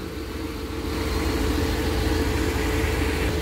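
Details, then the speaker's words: Engine just started after head gasket replacement, before warm-up, oil smoking off exhaust manifold: steady low rumble, even idle, no knocking, slight exhaust puff; owner suspects an exhaust leak on one side; normal idle. "well it started right up and i'm pretty much i'm happy i'm gonna let it stay on for maybe maybe 30 minutes just to get it warmed up and everything"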